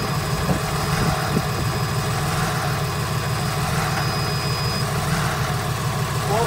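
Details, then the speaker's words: Cummins diesel in Freightliner/Utilimaster MT step van with Allison transmission, first start after PM service and oil change, fuel filter installed dry and key cycled to prime: steady, even low smooth idle, no surge, misses or knocks. "notice how the motor didn't surge or go crazy on the first fire up it's because i put the fuel filter on dry"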